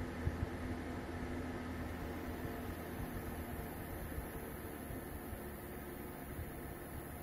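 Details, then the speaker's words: Space heater drawing about 1100 W, slowed by a phase-cut AC voltage regulator to 900 W: steady fan whoosh with a low electrical buzz from the regulator as the fan spins slower. "as you can hear uh buzzing sounds started from this little gadget and the fan is spinning slower and power consumption went down to 900 watts"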